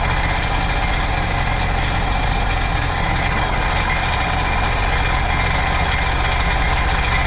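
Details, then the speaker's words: 2009 Sea-Doo GTX 215 supercharged jet ski after new coil: uneven, lumpy idle with irregular stumble, cylinder one still misfiring; owner suspects clogged or stuck injector. "Still not changing its tone. My guess probably a clogged injector."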